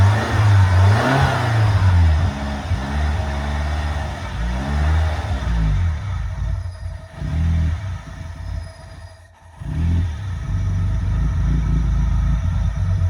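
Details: 318 V8 at idle; low, uneven, lumpy beat with loudness sagging and recovering around nine seconds; rough idle, cause not yet pinned down.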